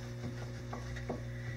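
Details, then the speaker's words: 2004 Dodge Ram lower ball joint, removed, was creaking and banging on that side: dull, irregular knocks and creaks over room hum as the old joint is rocked by hand, loose with up-and-down play; worn, replaced with new one. "this is the old one lops around I can clearly move it you can hear"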